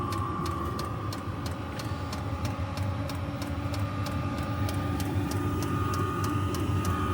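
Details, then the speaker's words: Chinese 12 V diesel heater burning kerosene, just after priming and firing: steady combustion roar from the exhaust with an even tick about two and a half times a second, thought to be the pump; burning properly. "You can now hear it coming out of the exhaust down there. And now it's going like the clappers."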